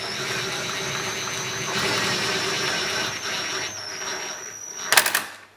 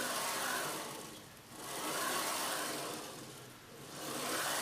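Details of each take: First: Old CNC router after bearing dust-collar fitted: steady whine with high squeal as carriage is driven, strain building toward end of travel, then sharp clack as it binds; owner suspects hand-drilled, unevenly spaced mounting holes misaligning the lead screw. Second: Old CNC router carriage slides smoothly by hand along recirculating linear bearings with the lead screw disconnected, with no ticks or grit. The suspected broken ball bearing is ruled out; slight play in the stepper motor end bearing is now suspected.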